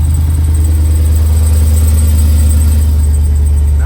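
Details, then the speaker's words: Jeep Wrangler JL 392 Hemi V8 after a collapsed lifter was repaired with a lifter replacement: deep, even idle rumble with no ticking or tapping, valvetrain quiet; normal idle. "it sounds like a normal Hemi. I'm so stoked."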